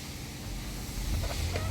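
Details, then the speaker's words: 2024 Nissan Pathfinder R53 that cranked but would not start: after the fuel pump control module (FPCM) fault was dealt with and the fuel lines refitted, with the air duct still off, the engine starts and settles into a steady low idle with no misses or knocks. "So start na siya. So okay na, umi-start na. So bali ito lang talaga naging problema natin."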